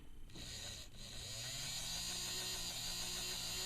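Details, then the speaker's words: Tyco Spirit of America Ten-Wheeler model steam locomotive test run after partial teardown, lubrication and reassembly. Small motor whines up to a steady high pitch and holds even speed with no stutter; motor runs normally. "and it seems to run fine so let's take it downstairs put it on the track see what happens"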